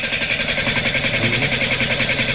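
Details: Chevrolet Spark at idle with a suspected misfire on cylinders 2 and 3: lumpy idle with rapid, uneven pulsing and dropped beats instead of a smooth hum.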